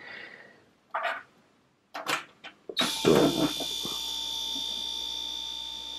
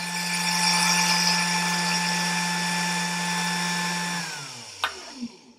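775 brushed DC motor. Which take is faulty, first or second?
first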